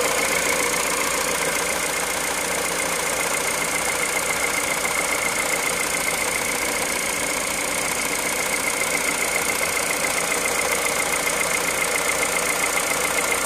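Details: Cold-start idle at 65,000 km on Total Ineo ECS 0W30 oil: bright, fairly regular ticking around two and a half per second over a hissy idle; cause unclear.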